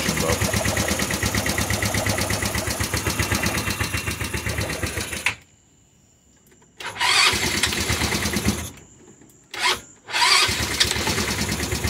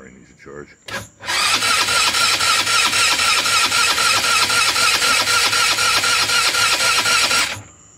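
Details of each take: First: Rebuilt GY6 scooter engine with new head, piston, cylinder kit and new carb, first crank after rebuild, run switch initially off and battery low: quick, even putter for five seconds, cuts out, then fires again on restart; healthy running. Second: GY6 scooter (Eagle/Jonway/Roketa) with rebuilt engine (new head, piston, cylinder kit, new carb), first crank after rebuild: steady starter whir with even pulses about four a second, turning slowly, never catching; run switch left off, battery low.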